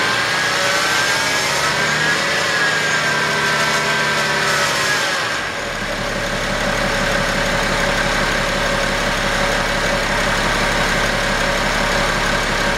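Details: 2011 BMW X5 35d diesel idling with a steady whirring, faintly chirping tone from the belt drive over the diesel clatter; bad idler pulley.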